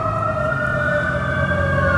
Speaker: And somebody's on fire. That sounds like a fire truck. that's definitely a fire truck.